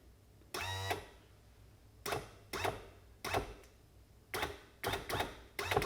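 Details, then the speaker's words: 1991 Johnson 50hp outboard power trim/tilt motor on the bench after the wiring and a replacement switch were fixed: short, clean whirring bursts start and stop with the switch, with no grinding or stalling. Normal operation. "now that we've got all the wiring fixed the switch should spin the motor so that's what we're going to check real quick"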